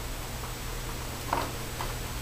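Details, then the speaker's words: Chevrolet Silverado/GMC Sierra with a bad turn signal switch that has a dead spot in its contacts, after a loose bulb was refit: faint, quick, even clicks about twice a second in a quiet cab, the flasher still in hyperflash. "you know strange it's still on hyper fast signal"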